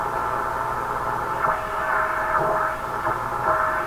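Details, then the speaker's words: Canadian RCA Victor 5T5 tube radio during front-end alignment: steady hiss and crackle with faint, wavering traces of the station; it faded to static, and the owner is unsure whether the station disappeared or the set retuned slightly. "so that station either disappeared or this thing just retuned itself ever so slightly"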